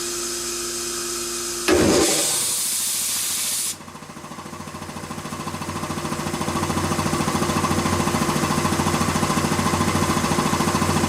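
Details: Quincy 325 air compressor, final test run after a full rebuild with head clean-up and rebuilt valves. After a short hiss it settles into an even thump at about 3.5 beats a second, steady and healthy. Normal running.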